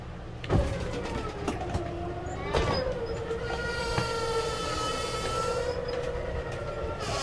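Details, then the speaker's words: 2021 Jayco Redhawk 31F RV slide-out extending with the button held: steady electric motor whine at one pitch for several seconds, clicks at start and end, the final click showing it is fully out and working normally. "hold hold hold did you hear that click i hope you can hear that click through the camera but now we're good it's done we're extended out"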